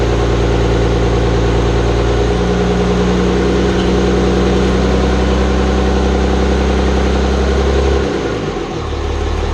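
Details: Hybrid 5.9/6.7 Cummins diesel just after first start following clutch hydraulics, fuel and sump work; steady idle clatter with a light tick from the top of the valve cover up front; valve lash suspected, not confirmed.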